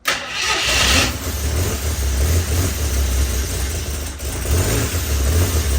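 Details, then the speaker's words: 1976 mail Jeep's rebuilt engine at first start; catches fast and settles into a deep, steady low rumble with no knocks or misses; runs fine, but oil later poured out the back of the motor during cam break-in (plug or seal suspected). "well it runs kind of all right well we did get a running"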